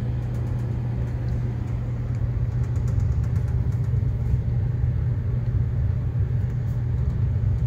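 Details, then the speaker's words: Gas furnace running: constant deep drone with a rough, buzzing edge and steady speed; owner hears shaking from the blower wheel vibrating onto the ductwork, cause not confirmed; vibration noise. "getting some uh shaking noise coming from the blower wheel uh vibrating up onto the um onto the duct work here so there is some shaking uh something shaking going on"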